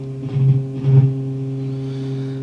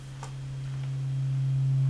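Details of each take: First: Marshall JCM900 amp with low-volume distorted output came up at full power, then dropped to almost nothing; flexing the board makes the test tone surge and drop, coming and going. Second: Marshall JCM900 amp, warmed up after a new socket was soldered in to fix low-volume distorted output: a clean, steady low test tone holds without crackle or dropouts and rises slightly; problem cured.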